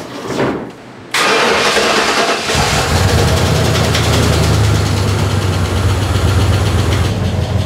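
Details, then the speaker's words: Ford Bronco prerunner on first start after its failed computer was replaced with a new tunable Fiveology Racing unit, no check engine lights: brief crank, fires at once into a firm steady idle without stumbling as the computer learns; normal start and idle. "It's alive! It's running! It's running! It's supposed to learn itself? Doesn't have any check engine lights. Oh. Sounds like the new computer is figuring things out."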